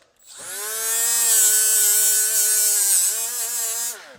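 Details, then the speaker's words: Milwaukee 90-degree battery die grinder (part 2485-20) on power level three with a flap wheel: high steady whine sags in pitch as it is pushed into the work, then recovers; grinder bogs and stalls under load. "this is where I kind of had a little bit of an issue [Music] see how it kind of stalls out there you know"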